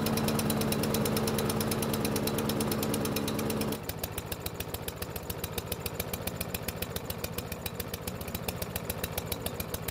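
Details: Yard Machines lawn mower single-cylinder engine after repair: steady but slow thumping near three and a half beats a second that drops and labors partway through; poor running, probably from a carb not yet properly cleaned.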